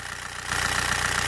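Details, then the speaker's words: Old TDI 90/110 hp rotary injection pump, cold engine in rain, after tapping pump quantity adjuster: even diesel clatter at steady idle, picking up smoothly, injection quantity about 2 mg; idling properly. "jesteśmy chodzi ładnie dawka widzicie 2 mg gazu pięknie"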